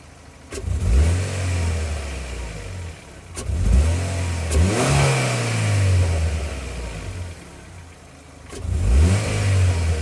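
A car engine revved up three times in a row, its deep note lumpy and uneven from a misfire.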